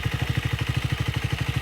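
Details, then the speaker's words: Speed 400 at 12k odometer, cover off, idling: quick regular top-end clatter about thirteen beats a second, suspected timing chain tensioner with weak spring, not confirmed; tensioner and timing chain replacement planned under warranty. "Makikinig nyo yung tunog ng tensioner. Mahina naman siya na medyo malakas."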